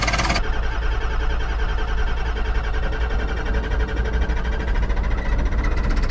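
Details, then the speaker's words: Ford F-550 diesel cold start in a snowstorm, fired on starting fluid without glow plugs or grid heater: rumble with a harsh, persistent rapid rattling knock on top; has oil pressure, cause unknown. "Cosby sauce engaged. Oh yeah, there's some knocking going on in there. Come on. Come on."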